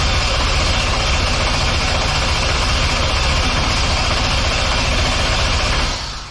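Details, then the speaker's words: C10 pickup with 5.3 LS swap (BTR Stage 3 cam), no fuel and wrong ECU, cranking for oil pressure on skid-loader battery: fast, strong, even starter churn without firing, then stops. "she cranks like a bat out of hell with that skid loader battery on here."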